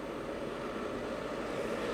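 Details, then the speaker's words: Llano RGB laptop cooler at the 500 setting, just up from the quietest 300: a loud, steady rushing whoosh with a midrange hum and no variation. The fan is excessively loud. "So I've just gone from 300 to 500, and this is like, you know, how noisy it is at 500."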